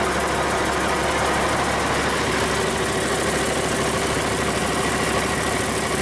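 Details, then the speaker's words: Cummins 8.3L diesel swapped into antique Hyster forklift, first run after installation, about 40 degrees in the shop; runs on steadily with even clatter at constant speed, no stumbling or misfire; normal cold start. "uh started pretty good considering it's now probably 40 degrees in the shop"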